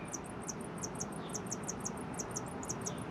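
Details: 2019 R-pod 180 RV MaxxAir MaxxFan roof vent running after motor lubricated and refitted with cleaned blades: steady whoosh with quick, high, chirpy squeaks from dry motor bearings; lubrication fix failed.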